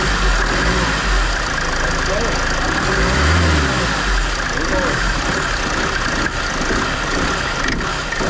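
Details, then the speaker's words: Mercedes Vito W639 van idling: the A/C compressor pulley rattles loudly and loosely because its rubber dampers are broken. The fix is removing the compressor and replacing the pulley. "Hier ist der Klimakompressor, der klappert ganz schön hier unten drin."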